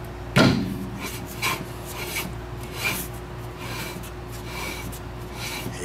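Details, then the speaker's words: 2000 Mitsubishi Mirage drum brake after new shoes and wheel cylinder, hub refitted and turned by hand: faint dry rasp once a second, light shoe rub wanted after adjustment, which fades once the e-brake or brakes are applied. "yep you can hear the rub right there just a little bit and that's what you want"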